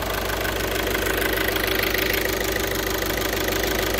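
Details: 2012 VW Jetta 1.6 diesel, restarted: steady, even idle clatter with no extra knocks, grinding or scraping; no flywheel problem, engine sounds healthy.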